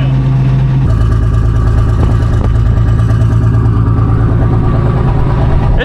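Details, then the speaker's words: FV432 troop carrier, long-sitting and being revived, idling in neutral with brakes engaged while the alternator charges gently: low, even, well-muffled idle rumble with no knocks or rattles; normal idle, very quiet through the muffler. "is really quiet this Muffler does a lot of work over here"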